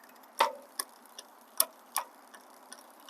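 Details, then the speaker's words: Lectric XPremium e-bike after 1500 miles, rear wheel spun in 7th gear: sharp uneven clicks about once a second as the H limit screw set too far makes the derailleur push the chain toward 6th. "That means it's trying to jump up. That excessive noise, what you're hearing is it's trying to jump up to the next gear, to the 6th gear."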